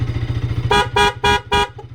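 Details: Bajaj Pulsar RS200 with a 7M wind-tone horn, tested after a horn wiring repair: four short, evenly spaced horn blasts over a ticking idle, each tone strong and clear, the horn working properly.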